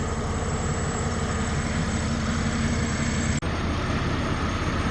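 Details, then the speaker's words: Buick 3800 Series 1 V6 after an overhaul, on its first test run and fully warmed up: steady, even idle with both cooling fans kicked on and working, no leaks or smoke; normal idle with cooling fans running. "Fans just kicked on, so we're fully warmed up. They're both working good."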